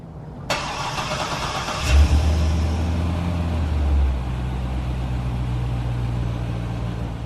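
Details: C6 Corvette with newer LS2 swapped in, exhaust refitted: deep even low burble with smooth blips, quick settle, quiet, no ticks or knocks, healthy.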